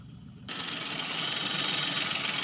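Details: Maruti Suzuki Alto 800 commercial with a bad internal noise suspected to be the connecting rod, blamed on late oil changes. Water is dripping from the silencer and the malfunction light is on. Steady, hiss-heavy idle, no knocking or rattles.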